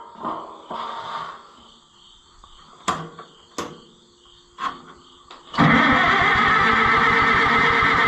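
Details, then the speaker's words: Oliver 66 tractor cranking after adding a little fuel: scattered clicks, then steady rhythmic cranking churn with no firing; fuel starvation suspected, possibly a forgotten standpipe or a plugged sediment bowl. "what could be our problem well it could be that I put a standpipe in this and forgot about it that could be highly possible it could be that it's plugged up in the Senate bowl and not actually coming out"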